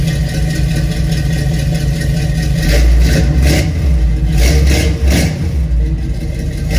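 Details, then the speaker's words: Squarebody Chevy C20 V8 just fitted with a different carburetor and new welded exhaust with tacked-on tips and rubberized hangers, first start after the work: deep, even rumble with throttle blips, running quiet and smooth with no knocks or misses; normal running. "all right it's running pretty quiet up here runs really smooth really impressed with the way it sounds"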